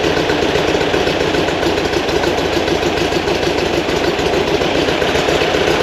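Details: New 2180cc VW Beetle engine for a 1968 single cab, break-in, timing set: even busy air-cooled idle, no misses, sitting high around 1200 rpm; runs clean fast idle.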